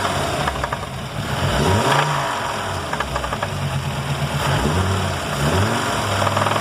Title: Marea 2.4 com barulho no motor